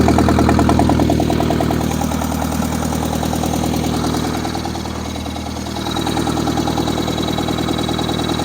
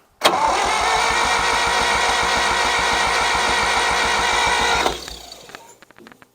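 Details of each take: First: 1963-64 John Deere 1010W tractor, sat 18 years, started at about half throttle and full choke; settles into an even idle after a brief dip, firing regularly without knocks or stumbles. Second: 1963-64 John Deere 1010W tractor, sat 18 years, starter cranks steadily about four turns a second for five seconds, never catches; fuel starvation, owner suspects clogged fuel line and stuck carburetor float or valve, splicing in fuel filter.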